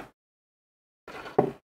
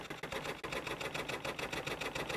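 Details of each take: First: it's auto closed so let's try again Second: Motorised sensor bin lid run from a DC power supply: small motor whirs nonstop with steady pulsing about three to four per second, getting stuck; blamed on supply ripple interfering with the sensor, no problem on battery power.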